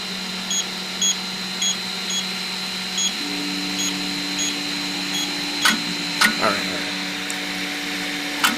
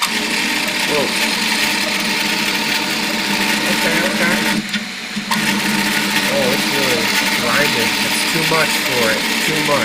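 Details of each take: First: Piocreat G5 pellet extruder 3D printer, speed turned down from 200: steady motor hum with light regular ticks, extruder stepper turning smoothly with no stalls, near max usable speed. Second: Piocreat G5 pellet extruder 3D printer, 1 mm layer height, speed raised to 200-300: harsh buzzing grind with chirping pitch sweeps as the extruder stepper stalls. Extruder stepper motor overload.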